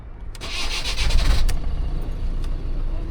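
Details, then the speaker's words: Blanquita, a diesel, starting with the old turbo rather than the new one that arrived: brief starter whirr, then the engine catches and settles into a rough, low, steady run; a normal start. "Look, at least it started. This one started, huh?"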